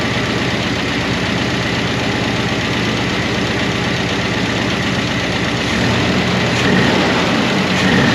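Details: 1988 Chevrolet Monte Carlo SS revived after sitting over 20 years: steady V8 idle with quick, even light ticking from noisy lifters/rocker arms that never fully quieted, only starting to.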